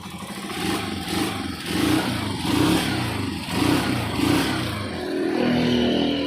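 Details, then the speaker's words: Honda TMX 125 single with new spark plug, ignition coil and CDI; revs unevenly with stumbling broken beats and surging, dies when throttle released. Misfire from dirty carburetor. "palyado palyado niya"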